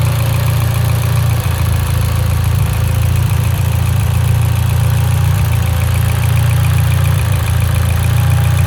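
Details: Mitsubishi Evo X at idle running lean: deep steady idle with an uneven beat and occasional stumbles; misfiring at idle.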